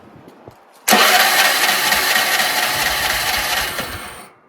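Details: Troy-Bilt 30-inch rear-engine riding mower, safety switches bypassed, carburetor rebuilt, running oil-gas mix: harsh steady cranking whir for about three seconds that never catches; cranks but won't start, cause unconfirmed.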